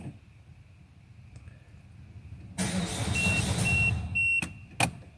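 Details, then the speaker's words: Peugeot 5008 (58 plate) 1.6 HDi diesel delivered on a recovery truck. With the clutch depressed, the starter turns the engine steadily for about two seconds with a dash beep but it never catches. Crank, no start. "and it's a no start it a crank but it won't start"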